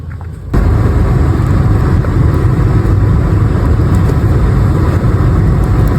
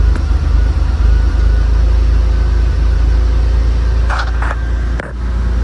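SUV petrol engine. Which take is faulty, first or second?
first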